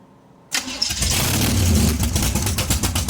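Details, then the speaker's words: Big-block Chevy 454 in a barn-find T-bucket with no torque converter, baffled exhaust tubes removed so the headers are open: the engine cranks and catches, then settles into a loud, deep, lumpy V8 rumble. It is running healthy. "Let's hear it. Open it. Let's hear it. Open her. How she's going to sound in the Monte Carlo."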